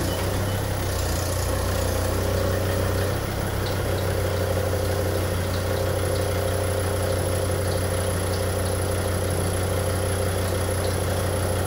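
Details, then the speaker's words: Volvo S80 D5 diesel idling: faint, irregular chirps and squeaks from the accessory belt drive that get worse with steering or air conditioning load, from a failing alternator overrunning pulley. "so if you do have one of these d5s i don't know if you can hear that like squeaking and chirping on and you'll tend to find if you work the steering"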